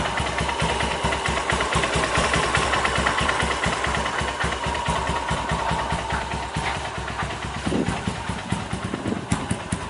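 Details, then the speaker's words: 2010 Honda Mega Pro carburetor bike just rebuilt with a BRT 198cc bore-up kit, pilot jet 38 and main jet 120: single-cylinder idle putter with steady firing; RPM wanders slightly around 1100, but it sounds clean and healthy. "Oke, alhamdulillah motor sudah selesai ya. Ini ya, untuk suara mesinnya."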